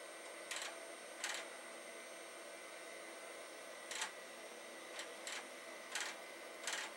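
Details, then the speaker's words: Accelerated Amiga 2000HD floppy drives: quiet hum broken by short harsh grinding bursts at irregular intervals as the drive seeks; both drives grind, cause unknown. "I'm going to stick another disc in this other one, see what it does. Well, they are grinding."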